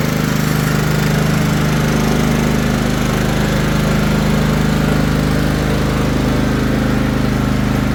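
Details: Craftsman LT1000 riding mower after restoration and steering arm install, deck back on: steady, even engine drone with smooth, unbroken beat, no knocks or misses; normal running.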